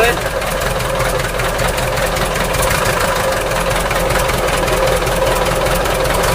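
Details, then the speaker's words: Isuzu Elf with 4BA1 diesel, overheated after a trip; at idle, hot, radiator bubbling heavily, engine sounds lumpy and uneven with a cylinder dropping out, a misfire at idle; cracked cylinder suspected from the overheating. "Yan, umuupot-upot yung tubig mga pre. Kapalyado yung engine mga pre."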